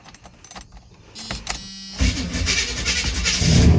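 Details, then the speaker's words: 1976 Chevy C30 one-ton, 454 V8, cold start after sitting a week: needed several gas pumps, then a short crank before the big V8 catches and builds into a steady, deep, slightly lumpy run. A normal start. "and i dare say the only real reason it needed to be pumped more than just the one time is because it's literally been sitting here for a week without being started"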